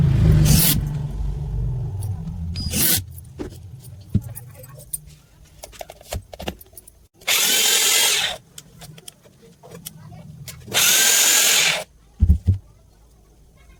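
Several short bursts of steady high motor whine that start and stop cleanly, with no grinding or rattle; the drill runs healthy.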